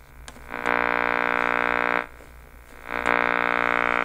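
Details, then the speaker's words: Zenith Transatlantic radio after replacing electrolytic capacitors and power cord: harsh buzzy tone cutting in and out in bursts when a nearby soldering iron is switched on, interference picked up by the radio. "dude listen to this is pretty interesting if I turn on my soldering iron listen to this"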